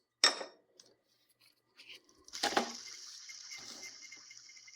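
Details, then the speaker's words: 2010 Ford F-150 V8, 335,000 miles: removed idler/tensioner pulley spun by hand gives a rough gritty whir fading slowly; worn bearing caused noise on cold mornings at startup; pulleys, tensioner and belt replaced. "much worse and this uh this is my king culprit that's what I could hear in the morning"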